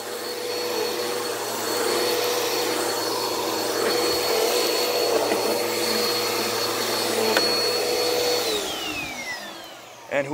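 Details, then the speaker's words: Bissell PowerForce Helix 1700 upright vacuum (made March 2016) tested after being given: steady motor roar and whine, runs healthy; belt, brush and suction seem good, though it needs cleaning of cat litter. "oh okay this one's heavy yeah so this one appears to work"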